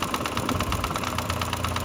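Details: 2009 VW Jetta Mk5 2.5L, tick began about 3,000 miles ago: sharp, even fast tick over steady idle, recorded close up under the intake harness; owner believes it is the vacuum pump, not confirmed.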